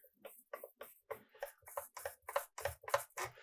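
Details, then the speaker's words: Micro Aces RC model kit, electronics test with the receiver bound. Quick little whirring buzzes, about three a second, come and go with each stick wiggle as both servos move freely. Normal servo movement. "should get to both servos moving. Now, I can't actually see them moving, but I can hear them moving."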